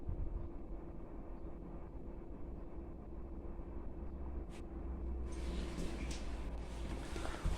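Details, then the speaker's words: Chinese diesel heater warming up after motherboard swap (had shown error code E-3): low steady hum and faint tone, then a soft airy rush as the combustion fan spins up; normal start-up. "I think that should have worked little bit of fan noise just starting come"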